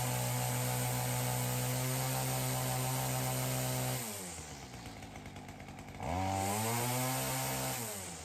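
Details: Ryobi CS30 trimmer with new aftermarket HiPA carburettor; strong even high revs, clean drop to steady idle, crisp pickup back to full speed, throaty note; normal running.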